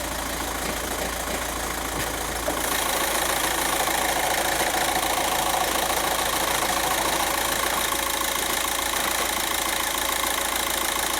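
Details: 2006 VW Jetta TDI, BRM engine, with low boost (P0299), idling and heard from underneath the car: steady metallic rattle about three beats a second, dual mass flywheel rattle.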